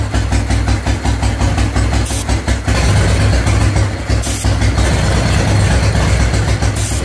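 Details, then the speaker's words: 1997 Harley-Davidson Fatboy Evo V-twin, carbureted, cold: loud, lumpy idle that stumbles and dies when the choke is released, with carb cleaner spray test; bad intake air leak, owner says it always needed long choke use. "let go of the choke bike dies um this obviously has an intake leak it's really bad"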